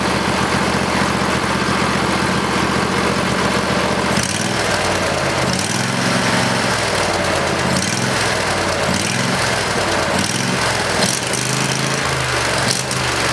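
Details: Briggs and Stratton 20HP V-twin Model 40 after carburetor cleaning and reassembly: even, steady running with firm low beat, no misses, surges or knocks over about thirteen seconds; normal running.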